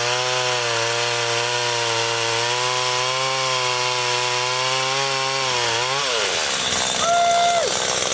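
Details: Garbage-picked STIHL two-stroke pole saw after a melted leak repair, cutting a branch: a steady high-pitched buzz holds even revs while cutting, then drops off cleanly; sounds healthy.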